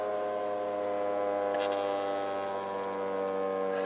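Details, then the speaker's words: Old Bedini-style ten-coil pulse motor spinning down with the charging battery still connected: steady low electrical hum with faint regular pulsing as the rotor winds down; normal coil hum. "leave the charging battery connected while it's spinning down is what I'm getting it so you can see"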